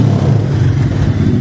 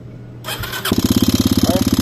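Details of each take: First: Yamaha XTZ 250X (Lander X) after repairing engine/cylinder head noise, which began after it died while riding: steady, even single-cylinder beat with no ticking, knocking or rattle; engine sounds healthy. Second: Yamaha XTZ 250X (Lander X) single that died while riding and restarted with a bad noise, starting easily: short crank then fast loud even clatter at each firing pulse from the cylinder head; suspected broken camshaft or rocker arm, not confirmed.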